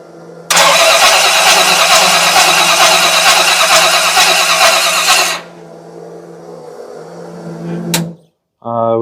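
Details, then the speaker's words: Oldsmobile Cutlass on carburetor, rear float bowl overfilling while the front fills slowly: several seconds of hard cranking that never catches, then a low hum. Engine flooded, fuel past the vents, plug to be pulled to check wetness. "oh we're flooding it flooded past the uh ventes all right yeah this rear Bowl's over filled"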